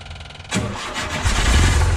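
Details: 1976 VW Westfalia Bus with a Type 4 air-cooled engine, started after replacing the voltage regulator on a long non-charging system, with a voltmeter hooked up: it catches within a second and settles into a steady, even idle. It now charges.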